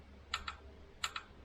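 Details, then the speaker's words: Jaguar XJS V12 suspected stuck fuel injector manually triggered with 12 volts via test leads (normally runs on three or four) to shock it free: two pairs of sharp clicks about 0.7 s apart in a quiet room; injector clicks when energized. "is clicking so i'm going to do this a couple times now and if we're lucky this will sort of free it up"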